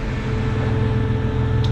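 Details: 1996 Mitsubishi Montero AC after recharging the low refrigerant with another can, now blowing cold; steady low hum from compressor and blower with no squeal, rattle or cycling; normal AC operation.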